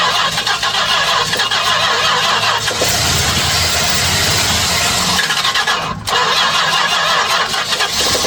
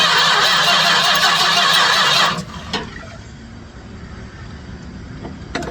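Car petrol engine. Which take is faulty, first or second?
second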